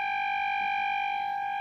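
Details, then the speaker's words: Radione WSH3 vintage tube radio after repair of an incorrectly connected capacitor, fed an AM signal from a signal generator: a steady, pure 800 Hz tone with no hum, audible even at 0.01 V input. "I can easily tune to the frequency and hear like 800 Hz signal."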